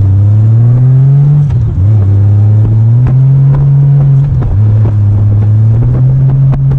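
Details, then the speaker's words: 1998 Honda Goldwing GL1500 SE flat-six on a test ride after master cylinder and check-ball work on the clutch: steady drone under load while revs rise and sag without matching pull; clutch slipping. "okay so as you might have heard me in the video when I did that last test run the clutch started slipping"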